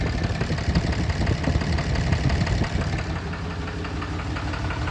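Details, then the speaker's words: 2011 Dodge Ram 6.7L Cummins diesel idling rough with an uneven, stumbling clattering knock; customer reports heavy white smoke on acceleration and more shaking in the morning; injectors being checked by scanner; engine misfire at idle. "tenemos este diagnóstico También la misma troca el motor está fallando 2011 r 67 Oigan n más el sonido que trae el"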